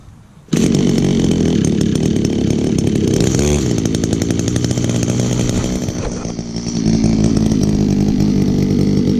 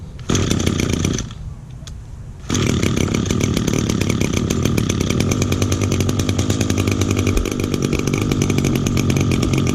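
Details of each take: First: 2002 Echo SRM-2400SB split-boom trimmer, 23.6 cc, almost 18 years old, started on choke with primer under the carburetor. It fires, sags briefly as if it wants to die, then holds a steady high buzz. Runs excellent with great compression. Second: 2010 Echo SRM 225 two-stroke string trimmer, first start of 2019 on choke with little fuel, cold; rough uneven idle, wandering and bogging, left to idle and warm up before running cleanly.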